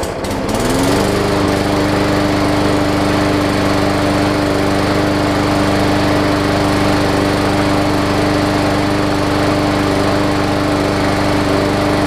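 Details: Hyper Tough Briggs & Stratton OHV push mower, plastic carb, after fighting through the water left in its old fuel: catches within a second and holds a steady, even governed drone with no misses or surging; normal running.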